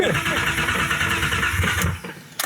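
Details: Boosted BMW E36 on its first start attempt after building oil pressure and connecting the fuel pump fuse: the starter churns for about two seconds without catching. There is no fuel in the tank; it runs after refueling.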